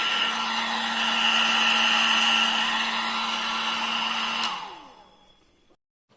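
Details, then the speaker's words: 1000 W foldable hair dryer after repair of its noise problem: a smooth, steady whirring hum with no whistle, winding down cleanly at switch-off; the original quiet sound is restored and it is running normally. "आपने सुना आवाज में कितना बदलाव आया है जो इसका ओरिजिनल आवाज होता है वहीं आवाज आप इससे निकल रहा है"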